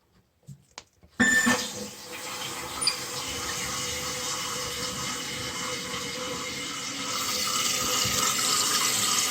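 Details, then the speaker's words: Kohler toilet after installing a Fluidmaster universal repair kit, water supply turned on: steady hiss and rush of water building slightly as the tank fills; new fill valve refilling normally. "it's filling so we'll give this a minute here"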